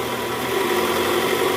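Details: 2008 Toyota Camry 2.4 V, 2AZ-FE engine, after new tensioner installed, in R at about 1200 rpm: steady even engine hum with no growl underneath; weak-spring tensioner growl gone.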